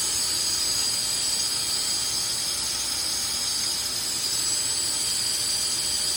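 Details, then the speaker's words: Truck exhaust with aftermarket Flowmaster muffler and 3-inch pipe, air blown in for soapy-water leak test: thin high whistles over a loud rush of air leaking at two non-airtight clamps near the cat; welded joints don't leak. "I don't know if you can hear that whistling sound, but that's coming from where the clamps are."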